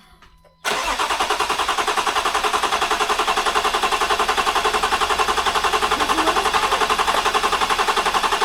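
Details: First start of a Land Rover Discovery 4 after its 3.0L SDV6 engine rebuild, with coolant spilled on the belt, coolant still low, and temperature and boost sensor faults showing. The engine fires into a loud, harsh pulsing screech over the idle: the belt is slipping on coolant.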